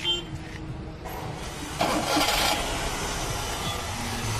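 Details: Maruti Suzuki 800 after fixing a starting problem traced to the resistor/ignition coil fuse, worse in rainy season. A short crank catches quickly and settles into a steady, even idle without misses or rattles: normal start and idle.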